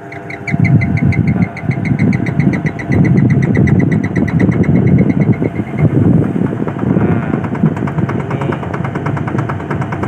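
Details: Daikin 8 PK central air conditioner, about 20 years old, not cooling, tripping its breaker, compressor heavy: heavy low drone with uneven chattering pulses and rattle that never settles; rough-running compressor.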